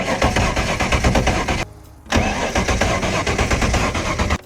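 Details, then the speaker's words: 1993 Nautique boat engine, not run for weeks: cranking that half catches and stumbles; only one injector spraying, three others show weak pulse on stethoscope; hard start. "Not all the injectors are working, so whenever I try to crank, you can see only one of the injectors are shooting fuel, which is not a great sign."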